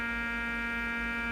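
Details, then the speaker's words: Fluke 6060B RF signal generator, rear output monitored with modulation off; steady low rough buzz through the audio, no change; buzz on audio output, power supply problem suspected, not confirmed. "But listen to that awful noise and that's the modulation turned off. I had the modulation hear it 400. So, there's a big buzzing sound coming through the audio which is interesting."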